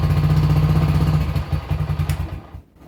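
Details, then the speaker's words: Honda CG125 single, after the carburetor was cleaned and found fine: single thumps about four per second go ragged and uneven as the throttle opens. High-throttle running problem, suspected to be in the ignition system. "You might not be able to tell if you're listening to that, but I can tell that it's not right. It's still doing it when I open the throttle further. So, further investigation. I'm pretty sure it's going to be the ignition system somewhere."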